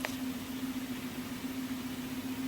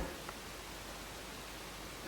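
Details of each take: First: Showtec 1W RGB LED PAR64 Long Nose, about 12 years old, recorded in a near-silent room. The cooling fan gives a low, rough, pulsing growl that fades toward the end, from worn fan bearings; the fan is replaced. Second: Showtec 1W RGB LED PAR64 Long Nose, about 12 years old, after replacing its growling fan: steady even airy hiss from the new cooling fan in a quiet room, no grinding or rattle.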